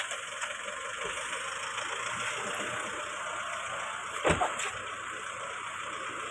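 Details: 2023 Honda XRM 125 FI idling with a busy, tinny rattle over the engine, caused by a loose part underneath rather than an internal engine fault.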